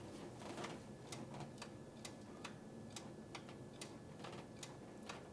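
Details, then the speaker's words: 1967 Buick LeSabre, newly added electronic switch-pitch torque converter controller, key on: a string of light, slightly uneven ticks in a quiet room as the pitch solenoid clicks: normal switch-pitch solenoid clicking. "I do hear clicking. That is good. That is good news. Perfect."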